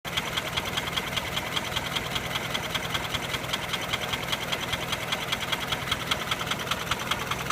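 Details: Nissan Sunny engine at steady idle: sharp metallic knocks about two to three per second, evenly spaced; origin of the knock unknown, owner seeking help identifying it.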